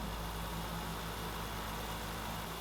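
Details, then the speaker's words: 1993 Land Rover Defender 90, 2.5 L turbo diesel, after valve clearances adjusted with feeler gauge: steady even low hum, smooth unbroken idle with no ticking; tick gone, runs much smoother. "Oh yeah! So much smoother."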